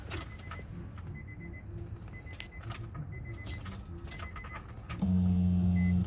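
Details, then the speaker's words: 2006 Nissan Murano no-start, after replacing the fuel pump, key on: low even hum for about a second then stops; new fuel pump priming normally, engine then started. "ahí está activando la bomba para poner aquí el telón a escuchar de nuevo"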